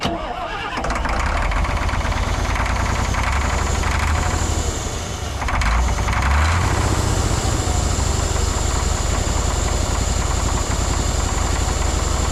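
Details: Long-parked cabover diesel truck, owner suspects two injectors not firing; heavy deep unbroken roar at steady high speed, fuel shutoff pulled but no effect: diesel engine runaway that won't shut off.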